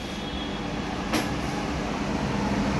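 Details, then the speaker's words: Ariston kitchen hood after cleaning service, switched on to test: steady even airy fan whoosh with one brief click, no rattle or scrape; fan running normally. "হুকটা আরেকবার জ্বালিয়ে দেখছি যে hook ঠিকভাবে চলছে কিনা এই যে আপনারা ফ্যানের শব্দ শুনতে পাচ্ছেন"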